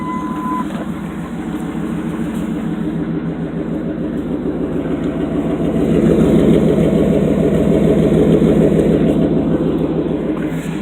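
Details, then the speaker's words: 1998 Dodge Ram 1500 5.2 V8 with dual exhaust, after fixing a misfire that had it running on 6 of 8 cylinders: steady, even burble at idle with smooth, regular exhaust pulse and no stumble; healthy idle. "Just had a problem with a pretty bad misfire. It was only running on 6 of the 8 cylinders. Since then has been fixed, running perfect now."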